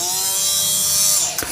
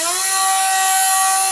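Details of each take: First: Parkside PFBS 12 C7 cordless rotary tool with a 3.5 mm bit drilling wood at speed 4: a high whine sags in pitch and cuts out as the motor strains; the motor bogs under load, lacking low-speed torque. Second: Parkside PFBS 12 C7 cordless precision rotary tool, no-load start at full speed: a steady high-pitched whine, noisy but with acceptable vibration, then the pitch drops smoothly on spin-down; normal, healthy running.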